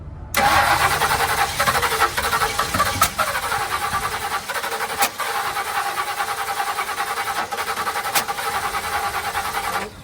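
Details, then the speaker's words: 1966 Ford Fairlane cranking with sharp pops every couple of seconds coughing back through the intake, won't catch; backfire on cranking. "Why is it popping back? I have never seen anything like that, bro."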